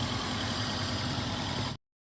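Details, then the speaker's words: Daihatsu engine that had cranked but would not start, now running after a pin voltage check without a scanner: even, steady, smooth hum with no misses or knocks, a healthy normal idle. "है अभी फिलहाल गाड़ी start है"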